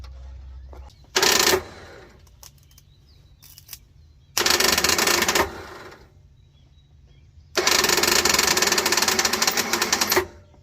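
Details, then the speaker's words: 1979 Ford F-series truck (likely F100) with a 351 Modified, sitting since the late 1990s, with a new carburetor fitted: the starter makes three bursts of dry whirring without cranking because its drive wasn't kicking out; the starter was later cleaned. Starter drive not disengaging. "All right, well, we just got done pulling the starter out of this, pulling it apart and cleaning it up, putting it back together because it wasn't kicking out."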